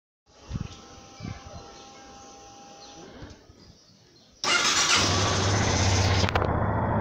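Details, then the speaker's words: Yamaha Fazer 250 after replacing the cam chain tensioner to fix its tec-tec top-end noise: after a few faint clicks the single fires up into a steady, even idle with no ticking or rattle; fixed, engine sounds smooth. "vamos curtir o barulho do motor que ficou redondinho e"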